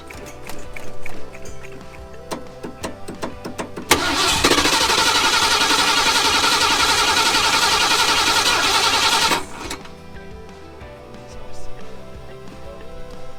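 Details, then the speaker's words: Flamed Ford F100 bullnose V8, carbureted, sat outdoors 11 years: several seconds of even starter churning without firing. Crank-no-start from fuel starvation, with not enough fuel reaching the carburetor; the in-tank fuel pump was found not working. "it's not pumping enough fuel out of a carburetor after a lot of mucking around and diagnosing and testing check this out guys turns out that the in-tank fuel pump is not working"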